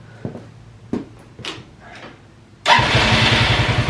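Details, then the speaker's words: Free ATV quad after cleaning fuel tank, blowing out and replacing lines, fixing fuel shutoff, carb untouched: a few clicks, then catches at once and settles into steady, even idle; normal start and idle. "Fired right up and idles. Like, free quad."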